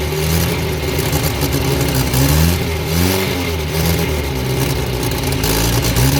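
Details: Abandoned blue Morris Minor, after fixing a fuel leak and rigging a wire to pull the throttle: engine picks up cleanly on several rev blips and settles back smoothly; runs well.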